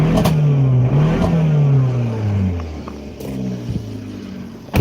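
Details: Dodge Dart with check engine light on: engine note climbs and sags unevenly under acceleration with stumbles, pops and heavy backfire; misfire, owner plans a fuel injector test; engine hesitation under acceleration.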